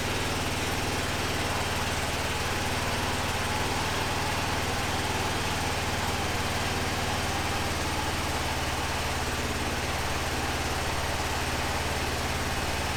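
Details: 2005 Honda TRX650 Rincon, 650cc single four-stroke, revived non-runner, cold on choke: a steady, even single-cylinder putter with no stumbling or surging. The idle is clean, and the carb may need slight tuning.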